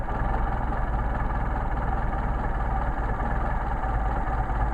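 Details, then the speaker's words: Mercedes 190SL with rebuilt, matched Solex carburetors (#62468/62474) being tuned: idle set near 500 rpm, then idle mixture screw turned in until the idle degrades and the engine runs rough, before backing out to smooth. Low, pulsing, stumbling idle. "the idol judge degrading into the engine running rough"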